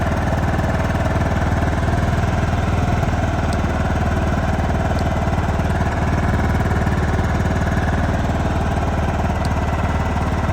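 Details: John Deere LT155 riding mower single-cylinder, previously no crank and stalling after 5 seconds, now running after choking: steady, even drone with regular beat, no knocks or misses; running healthy.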